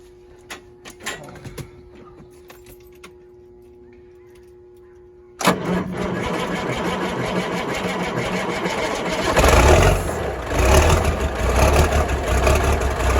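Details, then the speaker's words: 1979 Kenworth W900A diesel, cold, air cleaners newly installed: quiet clicks, then it starts at once and settles into a deep, even rumble that firms briefly; clean cold start and idle. "Oh, listen to that smooth, sexy rumble."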